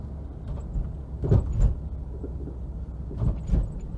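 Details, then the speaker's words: 1.6 Citroën Xsara Picasso on a test drive: sharp double clunks and clicks over road rumble from the front left suspension, before replacing the control arm bushes, ball joint and drop links. "there's all sorts of different noises there's like clicking and clunking wow it's definitely coming from that front left"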